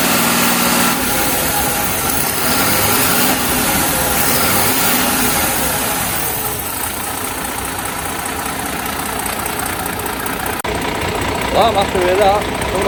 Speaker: that sounds completely different to what it did when we first started it. So now we've just got the one bolt, that's the issue.